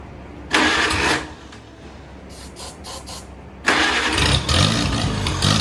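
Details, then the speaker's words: 1949 Farmall Cub tractor, first start in many years after sitting, with a rebuilt starter and starting fluid sprayed in: catches and fires strongly in two clean bursts, then settles into an even run; normal start and run. "let's check it hey how about that I mean she runs good I mean fired off beautifully"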